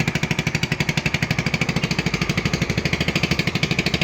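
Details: AXXO Viper 180cc scooter, revved: sharp puffing chuffs about three per second in step with firing, giving an excessive exhaust noise from gases escaping at the exhaust-to-head joint. Bolts are addressed; exhaust bolts should be checked every 1000 km.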